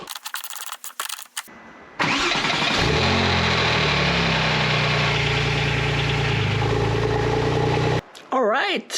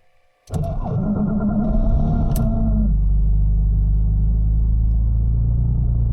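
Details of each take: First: Porsche 911 (996/997 Turbo) after replacing a starter that made bad noises and needed two or three attempts with a new Bosch unit: brief clean cranking, engine catches at once into steady idle, no grinding or whirring; normal starter cranking and start. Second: Porsche 911 (996/997 Turbo) with a suspected failing starter, recorded from outside the car; harsh whirring, rough crank for about two seconds before catching and settling to steady idle; abnormal starting noise, often needing two or three attempts, no error codes.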